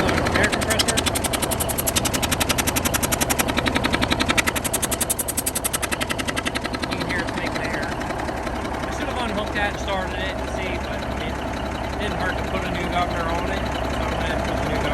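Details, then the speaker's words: 1971 Peterbilt 352 diesel on cold start, air compressor with unloader disconnected, air lines being replaced: steady rhythmic chuff of air from the open line about three a second over the idle; compressor pumping normally. "Alright guys, so I got the truck fired up and the air compressor is making air, I guess."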